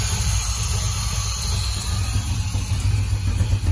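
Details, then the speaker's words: Monza after complete rewire with a Painless Wiring kit, possibly air in fuel lines, only 12 volts available: low loping idle stumbling unevenly, sounds like running on four cylinders. Misfire; injector part number later found critical to the setup. "yeah i might have to crank the truck or not sounds like it's only running on four cylinders"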